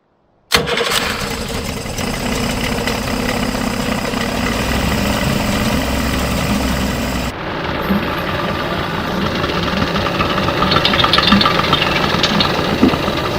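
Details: Circa-1985 Suzuki 85 hp two-stroke outboard, unrun for 6 years, after clearing plugged carburetor jets: quick start, then a busy, steady buzz that holds without stumbling or dying; normal running.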